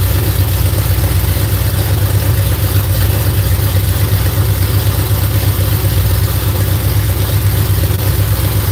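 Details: V8 just started after cranking to build oil pressure: loud, deep idle with a quick tick about four times a second riding on top. Owner suspects a bound-up rocker arm; not confirmed.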